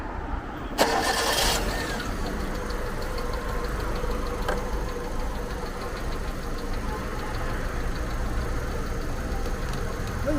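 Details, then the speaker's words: 2007 car with a dead alternator, just fitted with a new alternator and the battery allowed to charge: quick crank, clean catch and steady, even idle with no misses or knocks after a restart; now normal. "熄火直接再启动一下。OK 了，那就，行了，这就正常了。"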